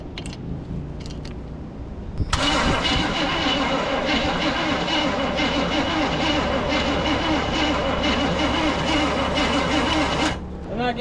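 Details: Truck abandoned in the woods for over a decade, no fuel reaching the engine yet and spark uncertain: starter churns slowly, about three turns a second, for eight seconds without catching. Slow crank, no start.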